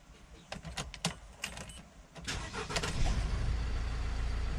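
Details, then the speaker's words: 2006–2012 Mercedes Sprinter diesel with intermittent no-start: key clicks and dash lights, then on a later try the starter catches and it fires into a steady low idle; cause being diagnosed, starting with the starter main ground cable. "it started that time you just heard it so i'll put it off so as you seen there's an intermittent fault"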